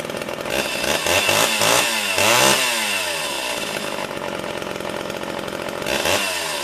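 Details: Homelite Big Red chainsaw, all original, started on the ground and warmed up, choke pushed in: catches and revs up and down cleanly with a crisp steady buzz, no stumbling or dying; runs normally.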